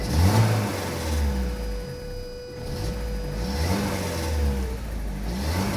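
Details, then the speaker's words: Saab 900 8-valve with K-Jetronic, formerly stuttering from idle onto throttle, after fitting replacement fuel injectors (one old injector believed plugged): the engine fires and revs smoothly with no stutter or hesitation. "Completely different. Oh my god. Completely different. One of these injectors must have been plugged. Oh my god. It's running so smoothly."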